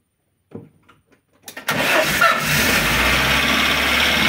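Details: Engine started after a day and a half sitting, warmed to full temperature, catches after short crank: hot idle with light regular tapping on top; heavily worn camshaft and bed, oil pressure light flickers when hot.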